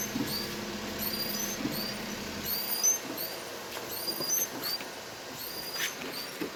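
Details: Perodua Viva Elite wipers squeaking even with new blades: high, thin chirping squeaks on each sweep, roughly every second, over quiet background hiss.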